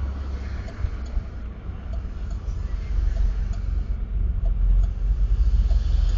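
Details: Camaro with a 347 V8, recorded with T-tops off and windows down. Deep, lumpy V8 idle with an uneven beat among wind and street noise; a subtle rough idle, felt more inside the car. Cause unknown.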